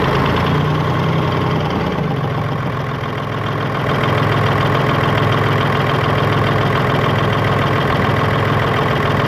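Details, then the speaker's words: Hino Euro truck, J08C six-cylinder diesel, idling with a steady knock about three and a half times a second from the air compressor side. "तो खैर मैं आपको बताता चलूं इसकी आवाज़ जो है कंप्रेसर की तरफ से ए रही है ठीक है"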